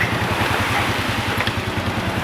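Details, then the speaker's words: 1997 Honda Astrea Grand with key switched off: single cylinder keeps thumping at even idle, neutral light out; engine run-on after ignition off, faulty CDI. "Lampu netral sudah padam ya, tapi motor masih menyala ya."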